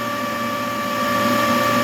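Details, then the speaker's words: Large crop-spraying drone battery charger after repair of a charging error, battery charging from 63%: steady, even fan hum with a few constant tones and no rattle; the charger cooling fan is running normally. "keep an eye on the charger you can hear the the charger humming heavy the fun on the charger is [Music] running"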